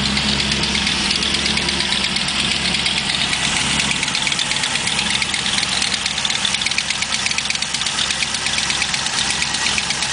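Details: LS1 V8 at idle: sharp, fast ticking keeping time with the engine, sounding like a collapsed lifter, but it turned out to be an exhaust leak.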